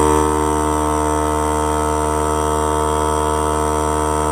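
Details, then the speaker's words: New Harbor Freight Central Pneumatic 3-gallon air compressor, just unboxed, on its initial 30-minute break-in run: steady, even motor hum and pump drone, no knocks or rattles; sounds healthy. "Well, I'm gonna let it break in for 30 minutes. Kind of thought I'd let you hear a little bit of what it sounds like, and I'll cut once it starts running"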